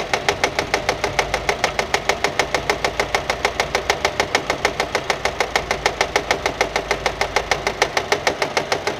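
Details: Nissan: sharp regular slapping at about three per second, steady with engine speed; engine itself fine, noise from a fraying alternator belt striking the metal body as it turns.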